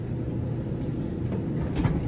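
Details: GE dryer that took three cycles to dry, running on speed dry after repair with top off: steady low rumble of drum and blower, no scraping or squeal; heating element glowing orange; runs smoothly.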